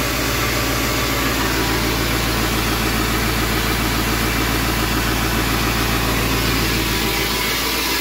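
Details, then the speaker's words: 7.3 Powerstroke (Navistar T444E) turbo diesel, running again after almost 2 years stored: even, steady diesel idle clatter with no misses, knocks or hunting; normal idle. "well there you have it it's alive [Laughter] oh that's awesome"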